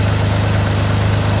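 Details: 1983 Chevrolet Monte Carlo G-body off the road about 10 years, just started after a new starter: even, steady low idle burble with regular firing, no knocks or misses, running somewhat smoothly; owner notes a little blow-by; normal idle.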